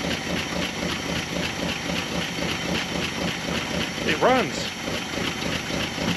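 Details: Dodge W300 4x4 dump truck big V8, carbureted, revived after sitting a while, settles into a steady even idle with a constant rumble and no misses or knocks; runs healthy on its own.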